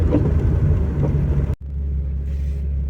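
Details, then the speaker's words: Warm 2001 Porsche 986 Boxster S 3.2 Tiptronic flat-six with 48 mm dB-killer exhaust baffles fitted against drone: low even quiet idle with no drone or ticks; normal. "back on private land as you can hear it's ticking over now it's really quiet it's actually sounds a bit better now the all the Metal's heated up and everything"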